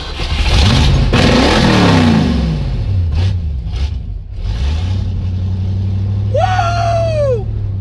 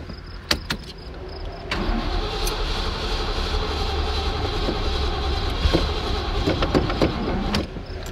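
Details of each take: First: Ford Mustang with carburetor, after a dead battery and flooded carburetor were dealt with: a few throttle blips rising and falling, then a smooth, steady idle that holds without stumbling; running fine. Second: Ford Mustang broken down with dead battery: starter grinds, engine coughs and nearly catches but never fires; flooded carburettor.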